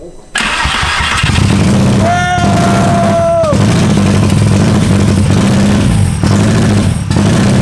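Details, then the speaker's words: 1.8T engine from a Mk4 GTI swapped into a Mk2, first start after years, immobilizer bypassed; it fires at once into a loud, raw, booming, unmuffled idle from an open downpipe with no exhaust fitted. "oh so that was opened down pipe obviously yeah dude three years later hell yeah"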